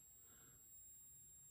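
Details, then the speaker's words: 30kV high-voltage taser module at about 1.5 V input, just under one amp: thin, steady high-pitched whistle at one pitch, no crackle or arcing, no heat; normal operating whistle. "okay you can probably hear that little whistle there's no heat in that at all so that's possible to make that constantly work"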